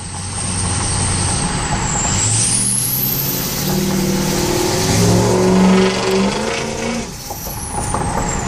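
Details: 2003 Powerstroke diesel: piercing high turbo whistle climbing and falling with throttle over the diesel rumble; insanely loud but healthy turbo spooling.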